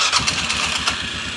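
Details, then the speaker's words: 2005-ish Polaris Sportsman 400 single-cylinder ATV, after adjusting the throttle cable so the throttle contacts no longer touch: starts and settles into a steady, even thumping idle with no stumbling or cutting out; runs properly. "it's good. You can hear it running good."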